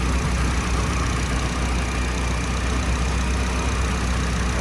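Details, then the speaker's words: 1999 Nissan Silvia S15 Spec R, SR four-cylinder, 111,000 km, Blitz muffler: steady deep idle with an even unbroken rumble and no weird sounds, a typical healthy SR engine; normal idle. "engine started up fine as you saw there's no weird sound sounds like your uh typical Sr engine"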